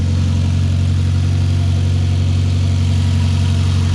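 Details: Freshly built 600whp Mitsubishi Evo X with tubular exhaust manifold, 3500-series turbo and downpipe at a deep, steady idle with no knocks, ticks or misses on first start; a slight oil leak was found afterward.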